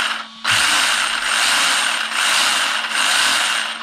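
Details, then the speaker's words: RC car with the battery in, motor run gently, pinion pushed hard against the spur gear: a loud, raspy grinding whine swelling and dipping, really noisy, meaning the gear mesh is too tight. "really noisy. And that tells you your mesh is too tight."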